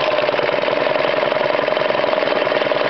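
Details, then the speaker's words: Honda small engine after its carburetor jets were replaced, not yet tuned: a single-cylinder chugging at a slow, even idle with a light pulsing beat; it now runs better with a nice slow idle. "Turn it on. Like so. That's better. That's a nice slow idle."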